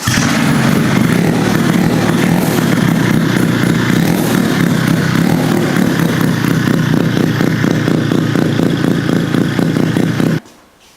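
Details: Rotary-engine-swapped Honda QA50 minibike started for the first time in about 6 months after adding fuel: it runs crisply and revs freely with a steady, even note until it cuts off. Normal running.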